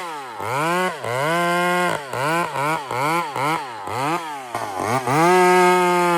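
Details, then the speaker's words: Chainsaw running: crisp throttle blips climb cleanly to a strong, steady top scream and drop back without bogging, smooth; healthy chainsaw running. "It's nice. It's smooth."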